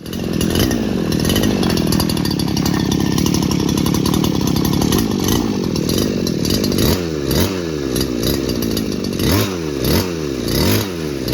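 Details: Old two-stroke lawn trimmer after repair of a no-start with a stuck recoil starter cord: steady buzzing idle, then revs up and drops back cleanly several times; runs smoothly and responds well.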